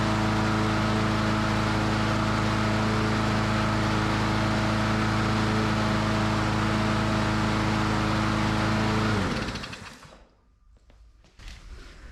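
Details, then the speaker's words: Free self-propelled lawn mower that would not fire even with ether, after cleaning its gummed spark plug with a wire brush and starting fluid: even, steady single-cylinder drone with no misses, then a clean shutdown; the plug was the cause. "just like that we got a free working mower that's crazy"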